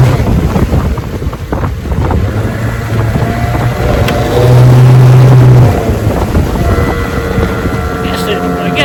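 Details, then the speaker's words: 1971 Johnson 9.5 outboard above half speed: picks up, holds briefly, then sags and stumbles under heavy wind noise; idles fine, once stalled; sounds fuel-starved, suspected bad fuel pump or clogged carburetor rather than spark, not confirmed. "starts right up, runs good at idle, but when you get it up past half speed, it acts like it runs out of gas. It even stopped on me one time, and then it takes off again. Doesn't sound like it's a spark plug missing."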